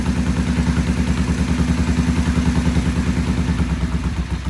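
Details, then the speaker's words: Vintage British twin motorcycle with Monobloc carburettors, first start with choke off after timing set and idle raised: lumpy, uneven idle around 200 beats a minute that won't settle; poor idle, pilot jets then cleaned. "We cleaned the pilot jets. They're back in, and we're going to do a start. And it wouldn't idle before very well, so we're going to fire it up now and see what it does."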